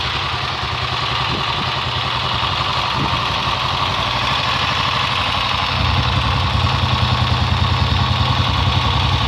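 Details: Honda XLR single-cylinder at idle with an uneven clattery beat layered over it, rising slightly near the end; unidentified abnormal engine noise, cause unclear.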